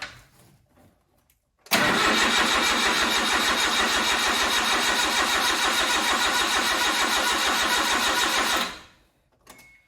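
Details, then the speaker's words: Suzuki Carry with an empty fuel line: the starter cranks evenly for about seven seconds but the engine never catches; no fuel pump priming heard, and a missed wiring connector is suspected. "wonder if it's not getting any fuel I should hear the fuel pump Purge I don't hear that so maybe I've missed a connector somewhere"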